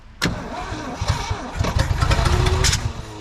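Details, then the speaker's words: 1967 Ford F-100 pickup, sitting over 20 years, first start attempt with fuel poured into carburetor float bowl; uneven cranking with sharp backfire pops; fuel pump suspected dead. "what's that backfire is talking about"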